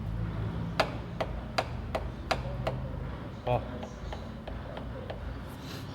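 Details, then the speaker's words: Renault Logan 3-cylinder engine idling with sharp, evenly spaced knocks, two or three a second, from wear in the cylinder head camshaft; head is non-rebuildable, fix is replacing the head, preferably original. "Galera, Renault Logan 3 cilindros, dica rápida: se o motor tá fazendo um barulho insuportável e você acha que ele tá desmontando, ó,"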